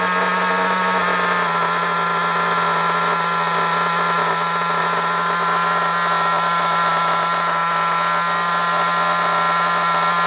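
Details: Kyosho MP9 nitro RC buggy after tick-over screw adjustment: a steady, high buzzing idle with no hunting or sagging that stays solid when braking. Idle speed is now set right.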